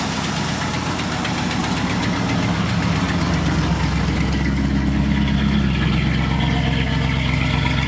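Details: 1986 Camaro IROC-Z on first start after the broken Y-pipe exhaust was welded: a steady, even low idle rumble with no puffing or ticking. The exhaust is now leak-free.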